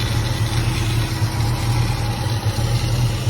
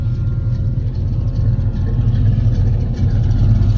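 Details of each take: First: Chevrolet Caprice project with a replacement loud electric fuel pump: low, even idle with a steady beat and no misses, knocks or ticks; motor runs like a sewing machine, normal idle. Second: Chevrolet Caprice project with a deep rumbling idle: a loud, thin, steady high whine from a replacement high-flow electric fuel pump sits above the engine and does not change with it; owner considers switching to a mechanical pump.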